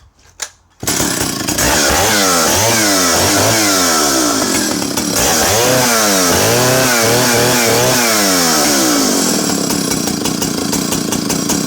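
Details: Vintage Partner R12 90cc two-stroke chainsaw with a cast aluminium silencer whose exhaust baffle adjusts between positions 1 and 2. Crisp rasp in quick rising and falling rev sweeps, then holding high; runs clean and healthy.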